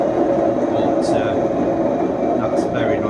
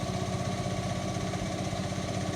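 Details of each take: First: Indesit washing machine on a brief spin before bearing replacement: loud steady rumbling roar with droning hum from worn drum bearings. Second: Indesit washing machine after drum bearing replacement (drum housing cut open), during the spin at quite high speed: steady, even low hum with no rumble, grinding or knocking; new bearings quiet and healthy, a vast improvement over the previous noise.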